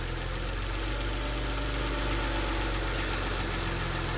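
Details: BMW petrol engine at idle, camera on a tripod, oil filler cap refitted: a steady, even idle with no stumble. Removing the cap makes the engine shake and misfire, showing the crankcase breather is sealed and working.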